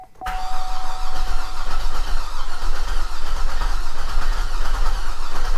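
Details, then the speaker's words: Flood-damaged Cadillac SRX, first start attempt after new starter install: steady strong cranking with a faint rattle underneath, nearly catches but never fires; rattle source unclear, owner thinks it's probably flooded. "You hear a little rattling under there? It is close. It's gonna run. It's gonna run, but something doesn't sound good."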